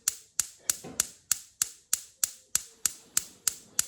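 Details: LPG bottle-gas hob after replacing the cylinder regulator and purging the pipe: sharp, evenly spaced igniter clicks at about a hundred a minute, with quiet gas light-off between; sparking and lighting normally.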